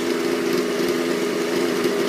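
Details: Vibe 50 with an OS 91HZ two-stroke conversion (new bearings, used piston and sleeve), idle set just below clutch engagement: steady, even buzz with no flutter or scraping, muffler smoking well; a healthy idle.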